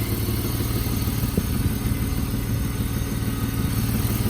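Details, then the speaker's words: 1995 BMW E34 520i Touring phase 2, six-cylinder, slightly warmed up, at idle: a loud, coarse, rasping, blatty exhaust drone. The muffler is completely rusted through and leaking, a technical-inspection fail point. "On va faire un énorme bruit puisque le silencieux est complètement mangé. Ça aussi, ça fait partie des points du contrôle technique. Donc ça fait un petit bruit un peu rauque."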